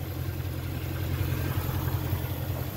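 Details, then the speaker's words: 2008 Jaguar XK 4.2 V8 automatic, 121k miles, just serviced by a specialist, bonnet open: smooth even low burble at a steady idle with no ticks, knocks or misses; healthy engine. "Very nice sounding engine, very smooth."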